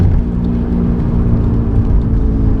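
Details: 1995 BMW E36 318i at road speed: a steady low drone and hum. The seller and the previous owner's mechanic say worn rear wheel bearings need replacing.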